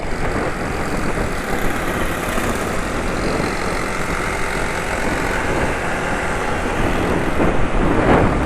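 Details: Yamaha NMAX scooter engine: coarse, uneven idle with harsh clattery knocking texture and no clean steady beat; rough running, owner attributes such roughness to degraded oil rather than worn parts, cause unconfirmed.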